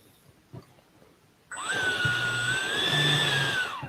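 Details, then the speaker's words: EDF fan unit being balanced, after adjustment: spools up to an even, steady high whine without wobble or pulsing, then winds down. It now sounds much better, a balanced fan running smoothly. "so i think we may have found it's starting to get better it's yeah okay i got it guys that sounds better a lot better"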